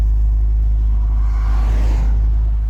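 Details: 2004 MG ZT-T+ 180 V6 at idle after misfire repair (replaced coils that were unplugged): deep, steady, even hum with no stumbles, no engine warning light; normal smooth idle.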